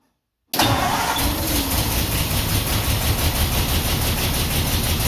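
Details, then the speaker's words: 1949 Ford F1, rebuilt engine sat 20 years, restart with choke partly on and electric fuel pump, no working water pump: catches and settles into an uneven, lumpy idle, missing on one cylinder; engine misfire. "It's definitely missing on one cylinder, but this is good. This is the longest I've had it running in 20 years."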